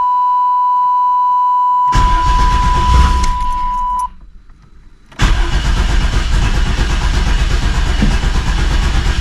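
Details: 1988 Camaro RS fuel-injected, sat over a decade, during fuel system work: after a chime the starter churns at a quick even rhythm, pauses, cranks again without firing; no start, owner suspects fuel delivery, new injectors and pump ordered.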